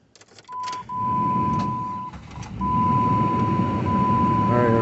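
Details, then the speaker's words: 2002 Jeep Grand Cherokee Laredo 4.0 4x4 after replacing the serpentine belt, tensioner and idler pulley (earlier bad-bearing noise): dash chime, then it cranks and catches into a smooth idle with no belt squeal or bearing grind; normal start and idle. "everything's on, everything's working. Turn it off, check it one more time. Yeah, everything's perfect."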